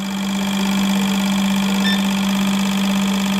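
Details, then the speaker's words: Fuel injectors for an eBay turbo Civic in a bench test at low pulse width around 2.3 ms: a constant, even buzz with fast steady ticking. They operate normally, starting to shut off near 2.1 ms. "2.3 there you can hear that they're good listen if you can on the camera did you guys hear the change in Pitch"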